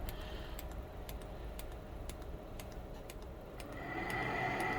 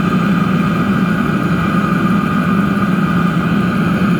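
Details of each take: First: DIY diesel heater with homemade controller during start-up: sharp regular ticks about four per second as fan hum builds; fuel dosing pump running far too quick. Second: DIY diesel heater with homemade controller, about 8 minutes running, heat exchanger casing at about 190 degrees and stabilised: steady even burner roar, low hum, faint whistle, no surging; normal steady combustion.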